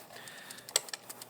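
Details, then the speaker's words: 2024 Honda Motocompacto folded scooter shaken after rattle fix (loose rolling screw found and thread-locked, case gap dampened): a few light, sharp metallic clicks remain, a mild residual body rattle from another suspected screw, not confirmed. "it's not as bad there's still some sort of screw but you know you can't fix it all"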